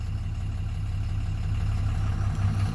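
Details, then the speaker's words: 2007 Dodge Ram 2500HD 6.7 Cummins diesel after no-crank/no-start fix with original TIPM reinstalled: even low idle with soft regular clatter, no misses or hunting; normal idle. "so now what i'm gonna do i'm gonna go ahead and start it you can hear it run runs"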